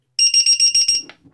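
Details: Homemade tricopter's Hobby King LiPo battery alarm on a 4,000 mAh 3-cell battery: six quick shrill beeps at about six per second on plug-in, then silence; normal connection chirp before three green lights show ready.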